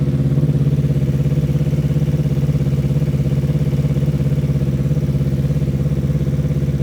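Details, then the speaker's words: Newly built Yamaha R3 superbike race engine, replacing the stock motor, first start on a freshly flashed ECU map before dyno tune; smooth even idle, no rough ticking or knocking, mechanically sound and assembled right; normal idle. "all right motor sounds good the thing seems to be mechanically sound there's no rough ticking noises or anything means that we assembled it right"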